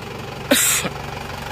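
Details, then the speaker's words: 2L diesel engine after overhaul, idling: even steady low thrum with no knock or stumble; blow-by gone, engine smooth and even, some smoke only while still cold, which clears when hot. "yang penting mesin sudah tidak ngobos itu sudah bagus dan mesinnya juga rata dan"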